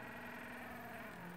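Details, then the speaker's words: Stepper motor on THB6064AH driver chip from regular supplier, with motion generator, current-adjust screw turned up: steady harsh buzzing hum with several fixed tones, no rhythm; loud stepper at high driver current, risk of overheating. "i want you to hear what it sounds like when i turn this up okay i'm gonna turn up the little screw okay"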